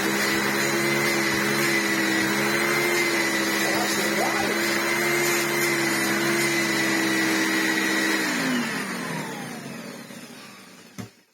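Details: Restored Philips U800 vacuum cleaner after motor overhaul, washed motor fans and HEPA-flo bag, suction test: steady even motor whine with high hiss, no rattles or pitch wobble, clean spin-down; motor sounds healthy.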